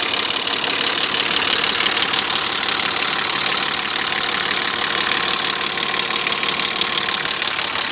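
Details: BMW E34 with M50 engine at idle: steady idle with a light, fairly regular tapping about three times a second riding over it; engine knock, source not pinned down.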